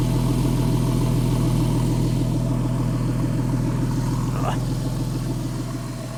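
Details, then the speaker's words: Porsche 911 (997S) idling after replacing the serpentine belt, the bad tensioner and the bad tensioner lever; belt deflection is minimal. Smooth, steady idle with an even low hum and no chirp, squeal or slapping from the belt: normal idle. "It sounds very healthy. Sounds good. I don't hear any abnormal noises."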